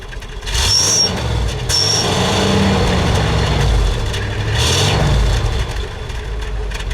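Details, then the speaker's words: Original 1966 Buick Wildcat, 10,000 miles, 425 cubic inch Nailhead V8, automatic, revved at the rear: deep throaty V8 swells smoothly through two or three quick revs and settles back cleanly, no knocks or misses; healthy engine. "Very nice, very throaty, a lot of power, smooth sound to it, very airy."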